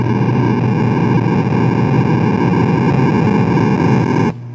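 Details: Williams Space Shuttle pinball showing CPU board error code 8: loud steady hiss over a buzzing hum blares from the speaker, then cuts off abruptly. Sound output fault, cause unknown.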